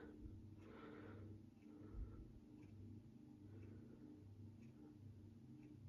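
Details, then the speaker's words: 52-inch Näve GE-vent ceiling fan running on low speed via the pull chain: a soft refrigerator-like hum with a gentle once-a-second whoosh from the wide blades. The fan motor hums at low speed. "This thing makes a noise that makes me think of old refrigerators. I don't know why. It just does."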